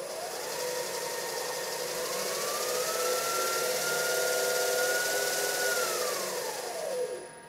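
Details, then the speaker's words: DIY CNC mill with new Marathon Y551 inverter-duty spindle motor on DURApulse GS20 VFD, no shaft fan: clean electronic whine climbing as speed rises, holding steady, then falling smoothly, quieter than the previous motor; normal spindle motor run. "because an inverter duty motor doesn't require a shaft mounted fan this motor is even quieter than the last one"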